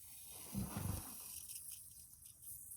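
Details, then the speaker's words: Inflatable sport boat tube, cleaned and sprayed to find a puncture: a soft sputtering gurgle over a faint steady hiss as air escapes through the puncture, losing air. "making noise and losing air. As I'm wiping it down, what I'm doing is I'm looking for little tiny abrasions that I'm spraying and hoping to see actually bubbles come back out."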